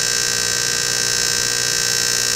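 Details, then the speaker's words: General Hydroponics Heavy Duty Air Pump that should run quiet gives a loud, harsh, steady buzz with a hard edge; worn diaphragms. "yeah that right there uh that's not how that pump is supposed to sound that pump's supposed to be nice and quiet"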